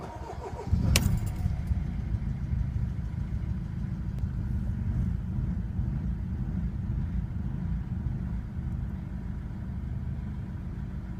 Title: 2001 W210 E220 CDI Diesel Rough Idle. How To Fix?